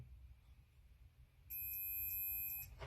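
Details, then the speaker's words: Refrigerator not cooling, starter relay tested with multimeter: steady high-pitched continuity beep about a second, reads okay electrically, though it rattles when shaken so it will be replaced. "There's a continuity probably, and that's one. As you can hear the tone,"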